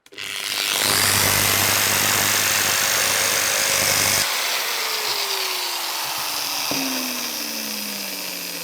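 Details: AEG WS 13-125 XE angle grinder, briefly run with brushes exposed, whirs harsh and hissy then coasts down; it sparks heavily at the brushes and jerks, traced to a faulty armature winding.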